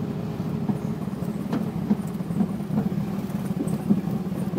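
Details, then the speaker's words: 1981 Triumph TR8 driving in second gear with low, dropping fuel pressure and a whining pump: low, uneven rumble with stumbles at quarter throttle, barely climbing a hill, no response at full throttle; fuel delivery problem suspected. "that's like quarter throttle it won't even run see if i can barely make it up this little hill"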